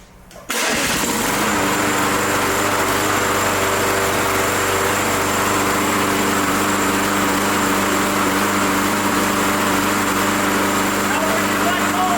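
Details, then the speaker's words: Old Briggs engine with Touch-N-Mow spring starter under the tank: catches at once and settles into a steady high idle, with a light grinding, cackling rattle as the starter spring rewinds after start, which is normal. "hear that grinding that cackling noise that's the engine rewinding this power powered spring starter on there which is underneath the tank"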